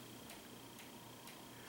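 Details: Running ceiling fan, switched via remote, gives a sharp, regular click about twice a second over a soft hum; fan also wobbles, cause suspected, not confirmed.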